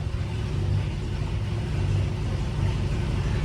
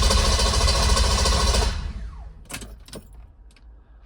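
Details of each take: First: M117E55 V8-swapped Mercedes W115 240D during rewiring, running with old wiring bypassed and coil on temporary switched 12 V: deep, steady V8 rumble, even and rising slightly, no misfire or stumble; runs cleanly. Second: M117E55 V8-swapped Mercedes W115 240D during rewiring: even starter cranking about three and a half beats a second that never catches; no start because of a forgotten ignition cut switch (immobilizer/flood switch) left on.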